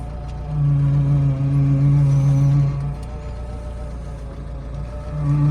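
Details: BMW 3 Series E36 power steering hums when turning: low steady whine that swells as the wheel turns and eases off after; suspected loose or worn belt, air in system, or old oil, not confirmed.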